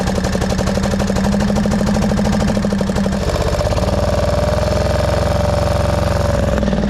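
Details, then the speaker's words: 1999 Craftsman lawn tractor, 20 hp V-twin, thumping unevenly with its note sagging then rising to a higher drone during a mowing test; rough running, owner suspects carburetor flooding needing a carb clean. "All right. Well, to me it sounds like a carb issue and we've had some flooding problems."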